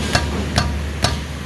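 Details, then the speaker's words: 2005 Toyota Vios (Limo Gen 1) front left wheel struck by hand: three sharp metal-on-metal clunks about half a second apart, the clunk heard over uneven roads; worn, loose caliper piston housing/bracket, before repair. "Ini biasanya tanda-tanda dari rumah piston kalipernya udah kalah ya. Udah oblak."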